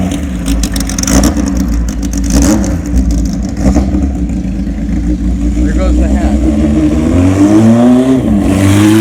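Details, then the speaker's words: 1979 Kawasaki KZ1000 LTD four-cylinder in a 1974 Z1 chassis, long-stored, new plugs; cold on choke, settles to even idle then revs smoothly, no bottom-end knock, crank sounds good; smokes a little, owner suspects rings. "but the crank sounds good everything sounds good"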